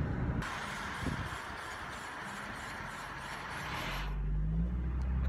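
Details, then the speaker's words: Car idling at a stop sign: rapid chirping squeak about four times a second, a belt-driven squeal; owner guesses a failing bearing, probably the air conditioning compressor, unconfirmed. "sounds like a bearing bearings going bad probably the bearing on the air conditioner pump is going bad and I'm gonna guess that because it's probably the most expensive thing to get fixed"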